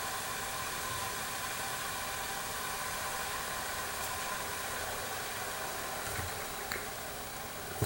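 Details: Jensen #5 electric steam engine warming up with new gaskets, no water leaks: soft steady hiss and faint sizzle, no knocks, boiler building steam pressure normally.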